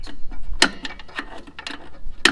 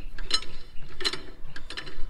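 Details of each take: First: Single-axle travel trailer wheel hand-spun after brake and bearing inspection, nut backed off three and a half threads and greased: light regular ticking scrape about twice a second, slowing; brake shoes lightly kissing the drum as intended. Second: Single-axle leaf-spring travel trailer, wheel off, brake drum turned slowly by hand after 500 miles and a terrible noise when backing: irregular metallic clunks and ratcheting clicks from loose broken brake adjuster parts inside the drum.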